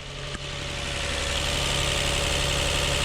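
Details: Lexus IS200 six-cylinder petrol engine idling with a slight uneven pulse, showing code P0301 for a cylinder 1 misfire; a dead cylinder 1 coil pack was found, with no spark at the plug.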